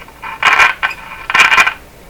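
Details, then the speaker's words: 1940s RCA Victor A23 AM/shortwave tube radio at first power-up on the lower AM band: sharp crackling bursts cut in and out, and the set goes quiet while shorted. The owner suspects a short in the tuning capacitor, possibly a bent plate. "so that sound is probably a short in the tuning capacitor that's the thing with all the fins back in here all the plates back in there"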